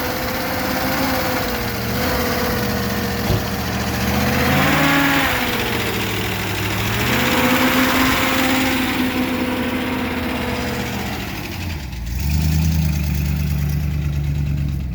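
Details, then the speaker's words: Studebaker Avanti, supercharged, out of storage: no fuel reaching the carburetor (owner suspects a bad fuel pump diaphragm or crud in the fuel system), so float bowls were hand-filled; the engine runs roughly, revs sagging and stumbling as it starves. "there's nothing coming into the carburetor no fuel making it up to the carburetor so i'm going to fill the float bowls with fuel fire it up and just drive it into the paint booth so i can work on it there"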